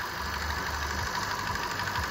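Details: Light irregular knocking over a steady idle hum from the intake manifold swirl flaps; knock changes when the flap position sensor is pressed toward or away from the engine, suspected worn flap shaft.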